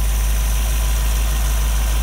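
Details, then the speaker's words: Model A Ford hotrod chassis, rebuilt 1965 283 V8, broken in, no street miles, at idle: steady deep smooth rumble through quiet temporary mufflers, no ticking or knocking; good oil pressure, charging, healthy. "good oil pressure on idle, charging. The exhaust has been fabricated. Mufflers, they're very quiet mufflers, temporary hung, so the break-in period, you can hear the motor."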